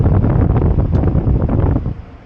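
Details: 2017 Chevy Silverado V6 with P0128 (coolant below thermostat regulating temperature, stuck-open thermostat): cooling fan roars steadily at full speed, even with engine shut off, then dies away; thermostat just replaced, code about to be cleared.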